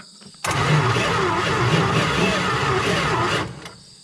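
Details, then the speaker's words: 1971 Plymouth Valiant Scamp, first start attempt after 16 years parked, exciter wire jumped at starter solenoid: about three seconds of sluggish, laboured cranking with heavy low churn and no firing; cranks slowly. "so we're just gonna pop that over real quick and see see if she cranks seems to crank it's a little slow"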